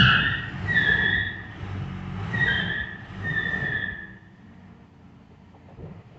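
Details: 1968 Mercedes-Benz 280S, brakes locked up from sitting: a high squeal swells and fades about once per wheel turn as the car creeps; a rear wheel squeals while the other side seems not to turn; dragging brake squeal.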